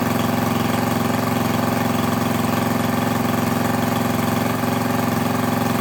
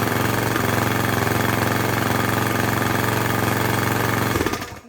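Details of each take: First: Craftsman lawn edger with a 140cc engine, reassembled after cleaning dirt from the carburetor and intake: smooth, even buzz at a steady low speed with no misses or surging; owner unsure whether it should run faster. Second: Craftsman lawn edger, 140cc engine with lots of dirt in the carb intake: small single chugging at a low, uneven pace, never picking up to full speed, then dying away; running poorly.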